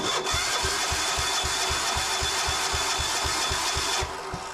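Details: Gravely C10A repowered with a 418cc Yanmar-clone diesel, cold start with ether: even starter-driven chuffs about four a second for several seconds, never catches; diesel cranks but will not start.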